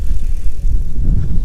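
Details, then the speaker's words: Audi A3 1.8T (possibly 180) S3 replica, stolen-recovered, cold start: loud, low, uneven thrum with irregular pulsing and no power; odd engine noise of unknown cause, owner notes little smoke, so turbo failure uncertain. "it seems to be running with a funny noise in the engine i'm not sure what that is"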